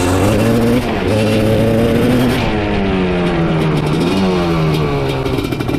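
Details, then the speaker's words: Honda TRX 310cc big-bore two-stroke quad (250R engine), missing airbox and air filter: loud revving that stumbles and wavers, breaking up around 3/4 throttle; owner suspects missing airbox, may need rejetting. "Well, it sounds like we're going to have some tuning to do on this thing once we get the airbox. It's breaking up like 3/4 throttle for sure."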